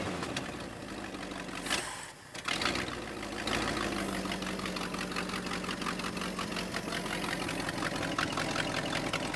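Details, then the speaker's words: 1968 Ford F350 with 360 V8, first start since about 2007, fed gas and cranked by starter wire: stumbles then uneven loping idle; owner suspects vacuum leak and non-working accelerator pump. "seems like there's a vacuum leak or something huh as longest run so far that's pretty exciting though I don't think my accelerator pump's working"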